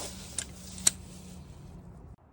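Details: After removing a small stone caught between a washer and the brake disc that made a squeaking whine and scratched the disc, the car rolls with a low steady hum and soft hiss, two light clicks, and no brake squeal.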